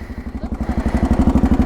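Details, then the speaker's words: Roughly 40-year-old (1980s) Honda dual-sport single: lumpy idle near ten beats a second with light metallic clatter on each beat from a bad cam chain tensioner, long-standing per previous owner. "Okay, so you hear that noise. But the camshaft tensioner is no bueno on this thing."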